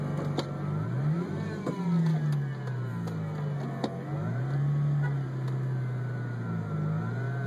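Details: 2003 Roush Mustang, Stage 1: engine speed rises and falls with scattered clicks and a light rattle on top; strange noise from the clutch, cause unclear.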